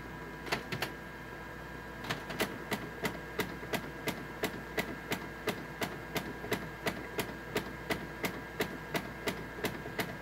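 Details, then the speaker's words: Canon MF733Cdw laser printer with Canon starter cartridges, while printing: sharp dry clicks about once a second over room hum; prints skip lines when clicking, cause unclear. "You can kind of hear a clicking noise coming out of it. So if I print a page, it's waiting. Hear that clicking."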